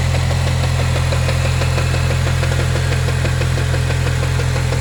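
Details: Chevrolet Cobalt SS (LSJ) with a 2.8" pulley, stage 2, belt slip: loud steady idle drone with a light regular tap about three to four per second. Persistent knock at idle, source undetermined.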